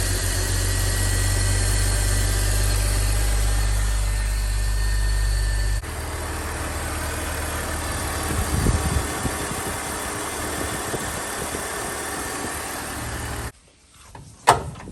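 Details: BMW X3 E83 after replacing the serpentine belt to fix a charging fault that drained the battery: smooth steady low idle hum with no belt squeal or chirp, then the engine note drops away; runs normally.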